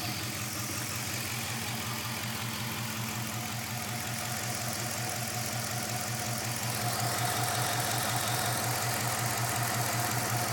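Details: 5.7 Hemi V8 idling with a slightly uneven, lumpy pulse near 160 beats a minute; running rough, cause can't be heard.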